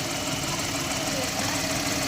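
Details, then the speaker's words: Datsun redi-GO after repair of a P0313 misfire on cylinder 2: smooth, even idle with no missing, all cylinders firing, after head work on leaking valves and replacing a cracked catalytic converter. "Missing उसिंग कुछ नहीं है। 2 number काम कर रहा"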